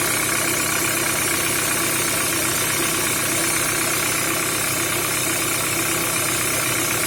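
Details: Peugeot 307 with EW10J4 (RFN) petrol engine: steady knock about two or three times a second over a busy idle; engine knock, cause not pinned down.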